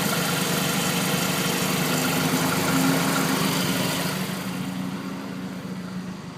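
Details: 2009 Mazdaspeed3 at idle: fast rhythmic sawing or rattling noise over the engine, heard on the passenger side; cause unknown.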